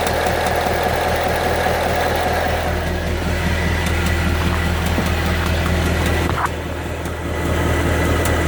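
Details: 2014 Ford Mustang 5.0L V8, 9,500 miles, at idle: steady low rumble with a light, fairly regular ticking on top; dealership has not identified the cause.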